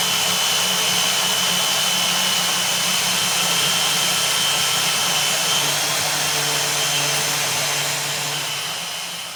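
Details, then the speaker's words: Power hacksaw finishing a cut on clamped stock for a bracket, cooling oil used; steady hiss and scrape at an even stroke rhythm of about three and a half per second, normal cutting. "and then i have a power hacksaw here we'll finish making that cut clamp that down"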